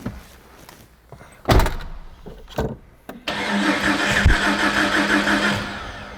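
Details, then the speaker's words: Freshly rebuilt 4.6L stroker engine in a 1993 Jeep Cherokee Sport XJ with fuel injection and rebuilt 5-speed, first start before break-in: a few cranking bursts, then it catches and settles into a steady even idle, not 180 degrees out. "well it starts it's not 180 out ben didn't jinx me this time or put some sort of foo bar in there so we're good"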